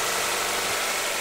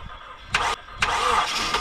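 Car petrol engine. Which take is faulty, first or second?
second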